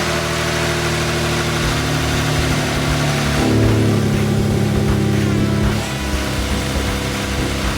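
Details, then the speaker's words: Subaru Levorg, turbo flat-six, 600+ hp, first run after weeks of engine work to cure a noise: steady, somewhat loud idle that swells briefly mid-clip and settles, no knock or clatter; still somewhat noisy but much better. "so sounds noisy I'm not terrible I'm not as [Music] bad this is good news people this is good news"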